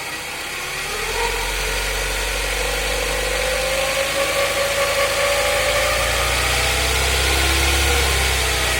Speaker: it's got a weird whirring noise that I haven't quite figured out what it is yet it's a bearing noise of some kind